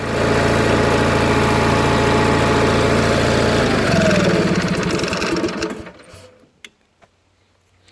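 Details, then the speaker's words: Onan 4KV generator after maintenance and adjustment: even steady hum at constant governed speed with no rpm fluctuation or surging, then switched off and winding down; normal steady governed speed. "so as you can hear hopefully that's a steady sound steady rpm no rpm fluctuations"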